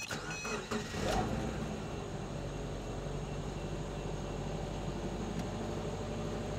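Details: Car after replacing the fuel temperature sensor for codes P0180–P0183, battery and fuel pump fuse reconnected; short crank, catches within a second and settles into a quiet even idle with no misses; normal start.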